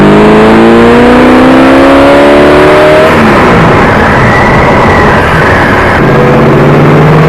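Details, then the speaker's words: 1979 AMC Spirit AMX, 304 V8, on a road drive, filmed by a camera: pitch climbs, drops and rises under throttle with no deeper intake roar; vacuum secondaries not opening at all, power only from primaries. "well don't know if you could tell or not but they don't open up so it didn't matter if i put it on the road doesn't matter if i have an air cleaner on it"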